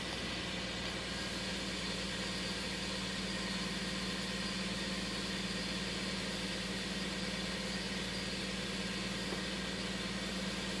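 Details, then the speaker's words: 1999 Toyota Sienna V6 at idle with codes P0301/P0304: uneven, stumbling beat as cylinder 4 drops out, with cylinder 6 also showing misfires. It worsens with AC load; traced to a weak cylinder 4 ignition coil. "you see how we have a misfire on 6 and the misfire on one actually 4 I'm sorry concerning the number 4 there you go constant misfire when we put a load to it starts to misfire even worse"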